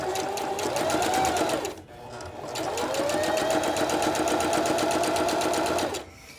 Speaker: It's gonna be a little bit loud, I apologize, but I want you to hear that the machine is nice and smooth. You don't hear any kind of like grinding or catching.